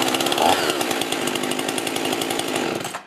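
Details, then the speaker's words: Stihl/Husqvarna-type two-stroke chainsaw started with decompression valve pushed in, which pops out by itself when stopped: high, steady fast idle with even firing for three seconds, then cuts off; normal running. "I'm going to give the chainsaw a quick start with the decompression valve pushed in and when I stop the saw you're going to see that it's pushed out by itself"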